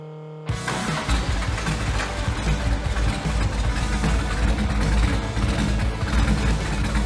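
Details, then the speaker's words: Kraftwerks/Porsche 917 race car with freshly rebuilt PMO carbs, after another 1/8 turn on both sides: the engine starts into a lumpy, rocking idle because the two banks get unequal air; carbs are unbalanced. "Now, as you can see, the engine's rocking back and forth pretty good because these two sides are not balanced."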